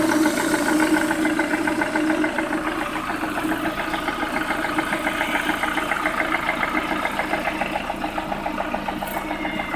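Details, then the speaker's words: Lada Priora after bent-valve repair, piston group replaced with 124 parts, ~3000 km later; warm idle, steady light tapping about 3.5 knocks a second over engine hum, present cold and warm to ~70°; owner unsure whether piston or hydraulic lifters; ZIC 10W-40 oil seemed quieter. "Я прогрел уже автомобиль вот так на холостом ходу отчётливо слышен стук"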